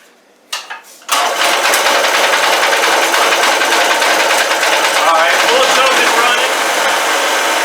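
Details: Old generator, given to the owner ten years ago: a couple of rope pulls, then it catches and settles into a steady, even buzz with no misses. Normal running.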